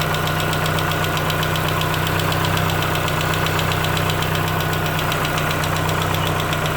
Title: Chevrolet Aveo 2004 Rod Knock